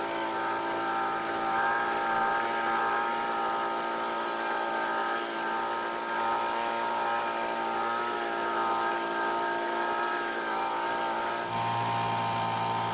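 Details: Cheap small two-stroke leaf blower that wouldn't start, at full speed while the H (full-speed) mixture screw is set: high, fairly steady scream with slight waver; runs strong and healthy.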